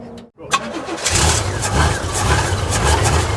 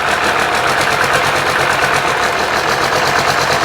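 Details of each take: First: 1995 12-valve P-pump Cummins diesel from a junkyard, being built toward 600 hp, after a chilly night: brief cranking, then it catches and settles into a steady diesel clatter. A normal cold start. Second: 1995 12-valve P-pump Cummins diesel during a DIY 600hp build: idle is junky and lumpy with irregular knocks, clearing when given gas; owner suspects wrongly fitted governor springs or notch screw adjustment. No fuel leaks.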